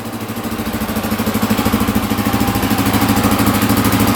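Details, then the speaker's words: 1982 Honda XL500R single-cylinder, after throttle adjustment: steady even idle about 200 beats a minute, no knocking, misses or smoke; idling cleanly. "no smoke either that's a miracle"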